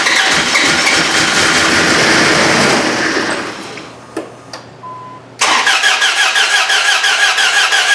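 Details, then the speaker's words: Dodge Ram 1500 with replacement 4.7 HO engine from a Jeep Grand Cherokee, JTEC ECM, start attempt: weak cranking (starter suspected), catches, runs ragged, dies, then barely turns over; rough running and stalling, cause unclear. "all right some weird going on not sure what i think that's starter socks for one thing it just doesn't crank very well but now we're not running so what's the deal there"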